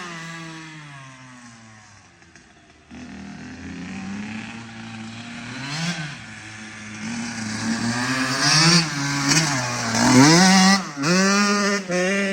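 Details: Kawasaki KX85 two-stroke after water pump and case seal and gasket replacement ended fluid leaks; crisp throttle blips climbing cleanly and dropping back to a steady idle, no bogging or misses; smooth and strong.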